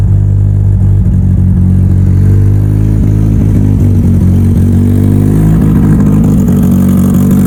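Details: Mitsubishi Evo before dyno prep, cold engine, first start of the day after installing both fuel pumps as the fix; catches and settles into a steady, even low rumble with fast smooth firing, no knocks or misses. Normal.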